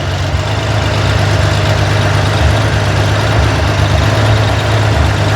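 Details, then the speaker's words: Corvair engine on a run stand, hot valve adjustment at idle: tightening the rocker slowly from zero lash toward 3/4 turn, clatter has gone and the deep even idle holds steady without stumbling as the hydraulic lifter bleeds down. "So I'll do it, this is about as fast as you want to go. You don't hear the engine struggling."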